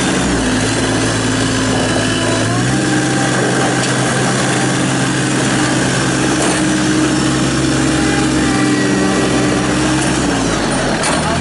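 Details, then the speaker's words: 2017 New Holland Boomer 24 compact diesel tractor, 4x4, 60" belly mower, 329 hours, started after parking brake release: steady even drone that lifts smoothly when throttled, no knocks or misses; normal running. "i'm gonna fire it up run around does everything it's supposed to do here we go oh"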